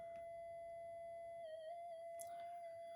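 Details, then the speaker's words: Minelab GPX 5000 metal detector with loss of depth: steady high whistle wavers and changes tone as the lead is moved; tiny breaks in the cracked mylar flex strip cause an intermittent signal. "for some reason that has got little tiny Brakes in it that are making and"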